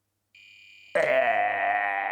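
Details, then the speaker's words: Retro Chip Tester Pro testing the suspect colour RAM chip from a C64C that showed square blocks on screen: a thin tone, then a harsh, sustained buzzing fail tone marking the chip as bad. "sound I don't like it it's bad thank you retro chip tester Pro bad chip"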